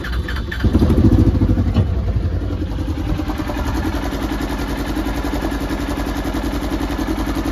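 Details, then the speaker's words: 2015 Polaris Ranger 900 XP, 5,900 miles, new fuel injectors earlier, misfires when warm per customer: cold start, engine cranks, catches and settles into a steady, even idle that sounds normal so far. "right now it sounds pretty normal to me"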